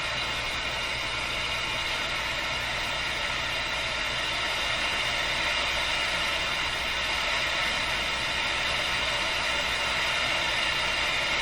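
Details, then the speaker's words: Nordmende Boheme C tube radio during FM alignment, coils adjusted to peak the hiss instead of following the German instructions: steady, even hiss with no station and a faint low hum; FM interstation hiss. "this is not the way to do this i'll have to do it properly next i'm just peeking up the hiss"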